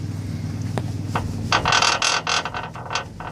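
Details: 2015 Toyota 4Runner with Icon Stage 1 lift, 3-inch rear Overland coil springs: sharp metallic taps with buzzing ring on slight vibration; springs not fully compressed at top, rattling in seat; KDSS rear sway bar brackets contacting track bar.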